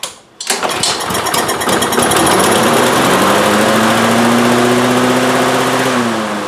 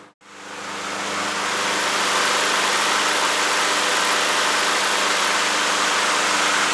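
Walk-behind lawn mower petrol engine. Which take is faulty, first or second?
first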